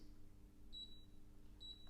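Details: Teka VT TC 2P glass cooktop touch controls: two short high beeps, each a clean tone over a low room hum, normal control feedback.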